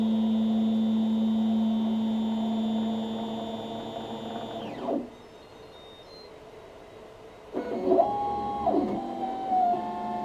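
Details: Makerbot desktop 3D printer: a harsh, buzzy grinding motor tone sweeps down, stops, then returns.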